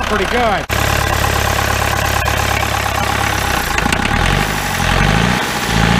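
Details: 1953 Mercedes 170D (W136) four-cylinder diesel, previously seized, revived after valve adjustment, glow plugs bad: catches after a brief crank, settles into steady even diesel clatter; healthy idle.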